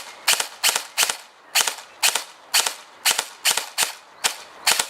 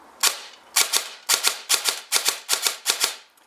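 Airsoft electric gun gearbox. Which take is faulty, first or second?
first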